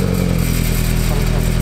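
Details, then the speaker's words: Car at idle just after its exhaust was changed to a quieter setup: a steady low idle with a light metallic buzz on each exhaust pulse, traced to the exhaust tips rattling. "Oh yeah, it's much more quiet. Why is it sounding just like that? Why is it rattling?"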